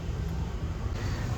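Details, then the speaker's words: Maruti Wagon R idling petrol engine, clutch already replaced, with a cracked bolt found under the engine: deep, uneven low rumble, the irritating vibrating drone felt inside the car, from worn engine mounts. "നമ്മൾ മെയിനായിട്ട് തപ്പിക്കൊണ്ടിരിക്കുന്ന ആ ഒരു vibrating sound ആട്ടോ. വണ്ടീൻ്റെ ഉള്ളിൽ ഇരിക്കുമ്പോൾ ഭയങ്കര irritating ആണ് ആ ഒരു സൗണ്ട്."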